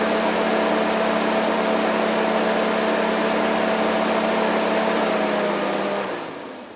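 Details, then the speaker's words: 2011 Chevrolet Suburban V8 after all eight spark plugs were replaced. It started right up with no codes and has a steady, even, smooth idle with no misses or stumbles, then winds down. "now I'm gonna go ahead and give it a start make sure I don't have any codes and everything sounds good"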